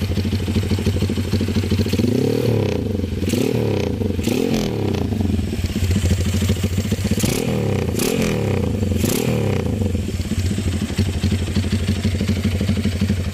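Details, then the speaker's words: Honda CB with new PE 33 Jumbo carburetor, light throttle blips: revs rise and fall sharply with no lag or wet burbling; crisp pickup, no bog. "Langsung bukaan gas itu langsung hor, nyaut pokoknya bolo, gak ono ngoke."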